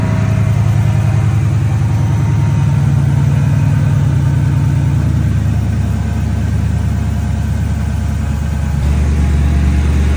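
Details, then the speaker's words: Ford Mustang S197 drift car, neglected issues, idling before plug and oil change: low idle with an uneven, lumpy pulse three to four times a second that never settles; engine running rough. "So, I'm going to start it and let it idle and we'll see what we got. And now, you'll probably hear it. It doesn't sound [Music]"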